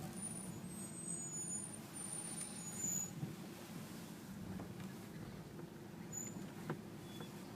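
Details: Subaru H6 3.0 with 5EAT automatic: engine idles with steady low hum while short thin high-pitched squeals chirp in as it is shifted into drive; cause unknown.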